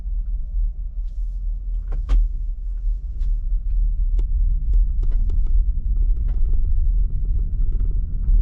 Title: 2019 Bolt EV clunk noise - reverse to forward